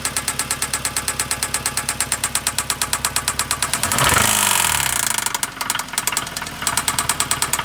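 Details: 2009 Hyundai Sonata 2.4 petrol idling with a sharp, steady metallic knock about three times a second; suspected rod knock, play found in cylinder 3 on the down stroke; worn rod bearing.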